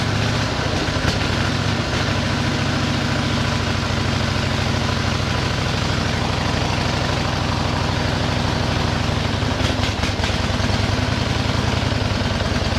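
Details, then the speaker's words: 1913 Harley-Davidson started after tickling the float: old engine chuffing at a steady idle, firing evenly with no knocks or rattles; sounds like a good tight motor. "boy that motor sounds good in that machine wow whoops wow that is something does that sound good it's it's just there ain't a noise in it it just sounds like a good tight little motor"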